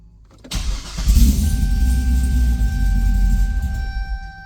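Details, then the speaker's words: Supercharged Corvette C6 V8 on its first start after fuel was added: catches and rumbles unevenly for a few seconds, then sags and dies. Owner suspects the MAF ('probably the math'). Starts then stalls. "doesn't stay running probably the math"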